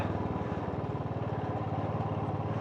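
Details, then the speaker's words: Royal Enfield Classic 350, air-cooled 349cc single, ridden uphill in Nepal: deep, even thump about twelve beats a second holding steady under load; healthy running with no misses or knocks. "I don't think you can get ever get bored of that engine noise just thumping away straight up."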